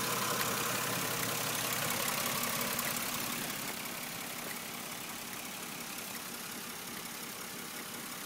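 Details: 4th-gen Nissan Maxima petrol V6 idling with a light, steady tick about four a second over the hum, coming from the back near the IACV; source unknown. Engine ticking at idle.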